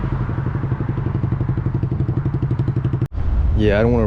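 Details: 2012 Honda CBR250R after tank cleaning and new fuel pump, straight pipe before Akrapovic slip-on: loud deep idle, steady exhaust pulses about three a second, slightly uneven, no knock or misfire; owner finds idle slightly weird but fine, warming up; normal idle.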